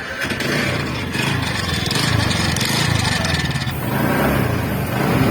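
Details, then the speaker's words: TVS Ntorq 125cc scooter engine running with a fast metallic rattle over the engine beat throughout; the flywheel magnet nut has come loose, otherwise something is broken. "Sound ऐसा आ रहा है sound आ रहा है इसका भीत का magnet न होता है ना व वन ग का नट होता है व नट लूज हो गया है"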